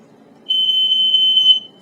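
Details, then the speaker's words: Statitrol SmokeGard 907A2 AC hardwired smoke alarm video; clip demonstrates the 5/6 temporal pattern for comparison, since the 907A2 pulses more like a slow 4/6; one shrill, steady high-pitched tone of about a second over faint room hum. "I think I mentioned that before, or not, but yeah, it's more of a slow 4/6 rather than 5/6. 5/6 is this,"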